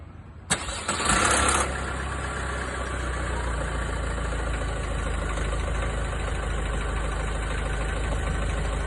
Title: Vauxhall Astra K 1.6 CDTi - Timing chain rattle at start up